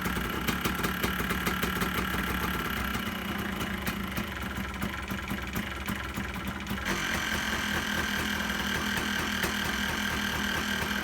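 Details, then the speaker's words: 2001 Yamaha Blaster two-stroke after sitting for years, running after the carburetor's clogged main and pilot jets were cleaned: crisp, rapid popping at a steady idle with no misses or knocks; normal idle. "there you have it guys sounds pretty good to me so here she is running my 2001 yamaha blaster my keys sounds good"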